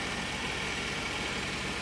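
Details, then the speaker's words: 1994 Mercedes-Benz E500 V8 cold start at about 30°F after new plugs, caps and rotors: even, steady idle with no ticks, knocks or stumbles; engine sounds healthy. "It's like 30 degrees in Chicago, so there she goes. Sounds good. Everything works."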